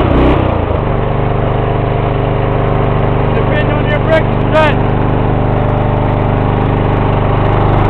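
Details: '94 Lawn Boy with 2.5 hp Briggs & Stratton engine, cold start after sitting about a week: a few cranking beats, then it catches in under a second and settles into a steady, even run; healthy cold start.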